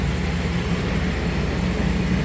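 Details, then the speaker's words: 2013 Chevrolet Express van with V6, in for no start/no crank, running after a fix (a fuse had gone unchecked): smooth, even low idle rumble with no knocks or misses. "I mean, but you can see it's running. You can see it's running."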